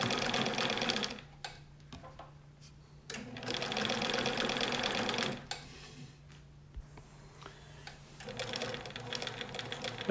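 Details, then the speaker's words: 1965 Bernina 730 Record free-arm sewing machine after overhaul, sewing a cam-driven decorative stitch at slow to moderate speed: even, clock-like tick-tock in short runs, smooth with no grinding. Normal sewing machine running. "You can hear the sound. Berninas, like all machines, have a distinct sound. I'm basically going at a fairly slow, moderate speed here."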